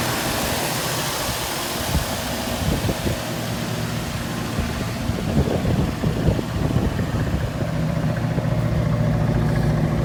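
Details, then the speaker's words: 1968 Mustang V8 that sat for years, first start after a swapped carburettor and added fuel pump, running from an auxiliary tank rather than the car's tank, about 25–30°F outside: deep, slightly lumpy idle with some pops but steady. Normal idle. "After sitting for 5 years, we got her started up, changed the carburetor. Not running from the fuel tank in there."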